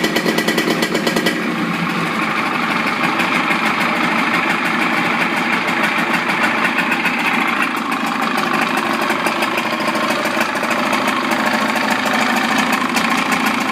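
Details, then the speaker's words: Evinrude 55 outboard running in a water container after throttle cable adjustment, idling with a fast, even buzzy rattle at steady pitch; clean, healthy idle with no problem. "I start up the engines once a week, make sure that all the components are getting used, and as you can see, there's no problem with this engine."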